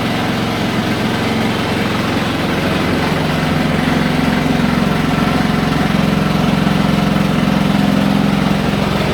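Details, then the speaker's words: Haier HW100-B14979S 10 kg washer, under 10 months old, light load at full 1400 rpm spin: heavy, droning roar with a steady pulsing throb from deep inside, no cabinet movement; owner suspects premature bearing failure. "it really does sound like a pneumatic drill going off in the kitchen"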